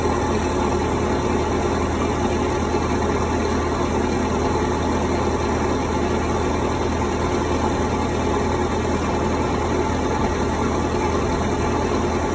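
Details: Cummins 3.3 QSB diesel from a stump grinder, freshly rebuilt with pistons, rings, rod and main bearings and head gasket (had oil from the blow-by tube), Insight connected: steady, even rumble at idle, no knocks or misses. Normal idle.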